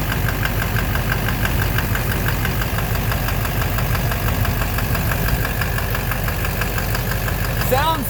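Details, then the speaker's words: 2009 Silverado 3500 Duramax LMM diesel dually, 59,900 miles, idling, heard from underneath near the oil pan: steady knock about twice a second, loudest there; owner thinks bottom end, unconfirmed. Oil analysis shows no abnormal wear; intermittent since 57,500 miles. "Yeah, it's quieter. It's right in the bottom end. I think it's in the bottom end."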